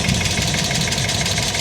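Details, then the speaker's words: $750 Hyundai Accent at idle, oil present, battery from 2024: busy idle with a light, fast ticking over the top, a little tappy, possibly valvetrain; owner not too concerned, cause unconfirmed. "Definitely a little tappy on the motor there, right?"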